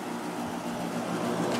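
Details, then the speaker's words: 1996 Holmes 5200 BTU air conditioner made by WCI, LG compressor, Macmillan fan motor on low, after running a while: steady even hum with soft airy fan rush, no knocks or rattles; drawing 4.52 A, 450 W; normal quiet running. "Compressor's nice and quiet now. And we're at 4.52 amps and 450 watts."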